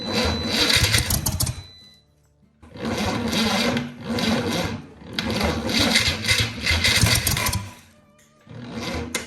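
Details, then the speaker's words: 1963 Chevy 230 inline-six, sat about 35 years, after brief runs under 4 seconds: sluggish cranking in short bursts with pauses, never catching; starter dragging from weak batteries fought most of the day. "The batteries just aren't playing ball with us. That's what we've been fighting most of the day."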